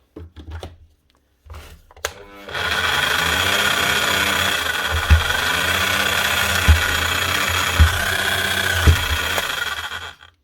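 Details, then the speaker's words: Bosch GSH 5CE chipping hammer from 2022, hot and smelling burnt, motor spins up to a harsh buzzy drone with irregular thumps; burnt armature, owner attributes it to prior incorrect servicing and assembly; brushes half worn. "Not off to a good start here, are we? Sounds bad, and again, smells bad. That is an armature too, and quite badly gone too."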